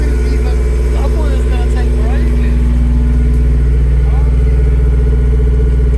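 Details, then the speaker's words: Honda S2000 parked unstarted for over 6 years, first start after fresh fuel and a service; steady, even idle with smooth thrum, no timing-chain rattle or ticking, normal idle. "It sounds so good as well. I know they suffer from chains and stuff, but that sounds so so sweet."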